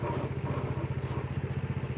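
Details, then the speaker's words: Honda Vario scooter CVT, engine running with the rear wheel held: rough throbbing rumble pulsing about eleven times a second that vanishes when the wheel turns; worn CVT pulley bearing, replaced and then smooth. "Hai Oke kalau rodanya ditahan suaranya krosok rongsok rongsok rongsok rongsok tapi kalau rodanya ikut muter suaranya hilang kek hahaha"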